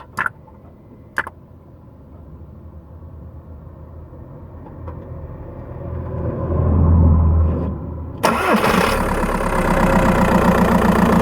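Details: Skoda Octavia 1.9 TDI PD, microphone in battery box: diesel idles, then as revs rise a light rapid tick and chirpy edge ride over the engine, strongest under throttle; ticking and chirping under acceleration, source unclear.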